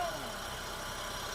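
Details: Honda VTEC after starter repair for a Bendix drive that slipped off the flywheel when starting: starts and settles to a brief steady, even idle hum with no grinding or clatter; normal idle.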